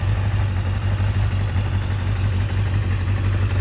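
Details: Kawasaki Zephyr 750 on new spark plugs, electrical faults fixed, idles with a steady, even low thrum and no misses or stumbles with electrics on; still needs an oil change; healthy idle.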